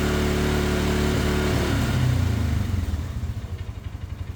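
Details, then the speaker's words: 2017 Polaris Ranger 570 EFI side-by-side, idle now fixed at around 1,200 rpm; revved up, engine holds revs then sags and stumbles, cutting out every now and again; intermittent misfire, owner suspects coil or spark plug. "Now we've got an issue with it just missing. So I'm going to see my rev up. See if it'll show you that. Like it cuts out every now and again."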